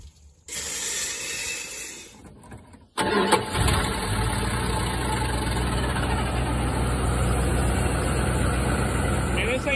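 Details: 1974 Dodge B300 Minnie Winnie with a 360 V8, first drive after 27 years parked. Starter cranks a few seconds, then a steady low engine sound follows. Owner thinks it ran out of fuel or was slow to pick up fuel from the rear tank; unconfirmed.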